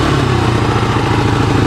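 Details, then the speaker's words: 1985 Honda TRX250 ATV being ridden: the single putters with a fast, even, slightly lumpy beat that never climbs in pitch. It runs rich and won't wind up; owner suspects the choke isn't coming off. "Yeah, you guys hear the it's a little rich. It's not winding up."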